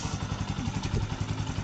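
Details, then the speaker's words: Bajaj CT 125 motorcycle after engine overhaul and cleaning a dirty filter: low, even thumping exhaust beat without misses or rattles; quiet, no more smoke, normal running. "Ganda ng tulog. Tahimik na magina. Wala na usok."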